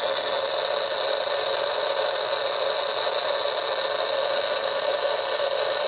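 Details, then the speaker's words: DIY AM superhet receiver, just finished, antenna on temporary clip leads: constant hiss with faint steady tones, no programme audible; static only at certain tuning spots, owner doubts the bench is causing it, source not traced. "there's a lot of static right there and I'm not really sure where that's coming from but I don't really think there's anything on the bench that's causing it"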